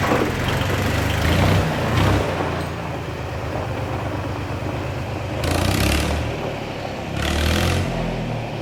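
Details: Yanmar YM276 tractor after clutch replacement: steady diesel chug under load as it backs out, revs rising and falling evenly, no knocks or grinding; runs healthy. A slight noise with the clutch pedal fully down was only an adjustment.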